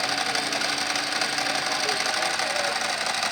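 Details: 2005 Ducati Multistrada 1000 DS at idle: dry, tinny rattle over a steady, unchanging idle; normal Ducati dry clutch sound, nothing wrong.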